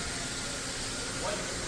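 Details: Honda that arrived with no coolant, refilled by the mechanic: a loud, steady spray-can hiss that then stops, pressurised coolant escaping. A cracked head is possible.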